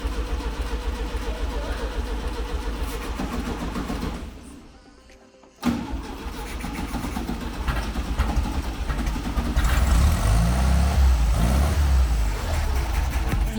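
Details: 1970 VW Beetle (Fusca) 1300 engine after 20 years parked, hot-wired direct start: starter churns rhythmically, pauses, cranks again with coughs and brief catching but never settles into running; cranks, won't start.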